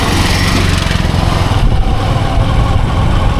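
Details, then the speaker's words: Motorcycle riding at about 20 km/h after shifting up one gear from a noisy, vibrating lower gear: steady, even low engine beat with no extra clatter or vibration; normal running in the right gear. "Now it's sounding right."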